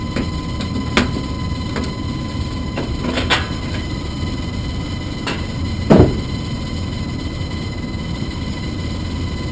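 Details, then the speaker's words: Furnace blower motor with a steady hum and sharp irregular ticks and slaps about every second; paper from the air filter is hitting the fan blades, which show strike marks. "you can actually actually see the marks on the fan blade where the where the paper was hitting the blades"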